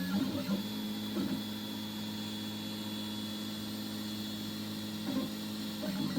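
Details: 3D printer with a newly installed Fibre steam HGX geared extruder and Goliath hot end, printing: a steady, even whir with a smooth low hum and soft periodic motor movements, no clicks or skipping; the gears run cleanly.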